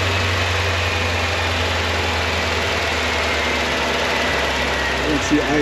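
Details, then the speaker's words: Corvette C4 after fuel pump install, ending a fuel pressure regulator problem: even, settled low hum at idle with no surging, idling down as it should. "She's down to nine. Eventually she'll go down to seven. Sounds pretty good."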